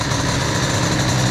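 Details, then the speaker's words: 2Fast 70 two-stroke moped with BOOST crankcases and a brand-new cylinder during break-in, started cold at 15°C without choke: a low, even putter at idle with no knocks. Normal smooth idle before the idle is raised to warm up. "Je peux même vous parler. Je peux vous parler, pas de problème. Bon, je vais monter un peu le ralenti, hein, histoire que ça chauffe un peu."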